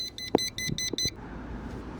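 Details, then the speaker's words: Schumacher 1200 A lithium portable jump starter connected to a car battery: rapid run of six sharp high beeps, then quiet with handling clicks; fault beeping that continues while connected to the battery or to the jump starter. "So long as this portion is connected to your battery and your automatic battery has even the littlest bit of juice, it's going to continue to beep and stay in that mode."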